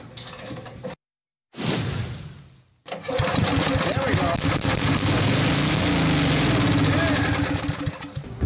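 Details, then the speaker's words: 1979 Toro 826 snowblower with an 8 hp Briggs & Stratton engine, manual pull start, sprayed with starting fluid: after a pause it coughs, catches and keeps chugging at a steady, fairly even beat of about four per second. "this motor wants to run woof let me let air out hold on okay she's a runner"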